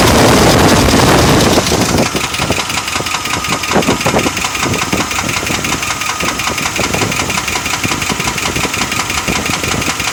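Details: 1995 Chevy Silverado 5.7L 350 V8: steady deep knock about three a second over idle, louder as revs rise; bottom-end knock, possible bearing damage suspected, not confirmed.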